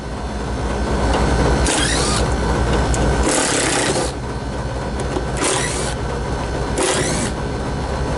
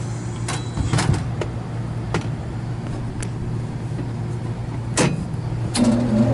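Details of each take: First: Newly installed Lennox KGB unit, blower compartment door off, compressor disconnected so only fan runs: steady low fan hum broken by repeated harsh rattling bursts and vibration; out-of-balance blower wheel with a flat spot, replacement wheel to be fitted. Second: Newly installed Lennox KGB furnace after replacing blower wheel with a flat spot, wired on high speed: smooth steady low hum, no wobble thump or vibration, few stray clicks; normal blower operation after repair.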